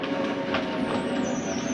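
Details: Forest River Sabre 360QB RV lower slide-out retracting: steady mechanical whir with a thin whine drifting slowly in pitch, no grinding; the slide mechanism limits its own travel, which is normal.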